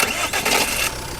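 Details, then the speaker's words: Jeep Compass starting: a harsh metallic rasp through the first second as the engine catches at the peak of cranking, then fading to a steady idle; the noise is attributed mainly to the flywheel. "ये देखो जी ये sound आता है ठीक है sound आता है यह आता है मेनली फ्लाई व"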